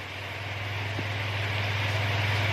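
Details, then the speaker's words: Toyota Yaris automatic after refitting a loose bolt on the front lower-arm bushing mount, which had let the front wheel shift with a clack when moving forward and reversing: steady low rumble, no knocks or clunks; underbody now tight. "ini kita sudah pemasangan ini sudah gak bunyi ya kalau maju ya kemarin itu rodanya geser maju mundur ya cedak-cedak gitu ya ini mundur aman ya"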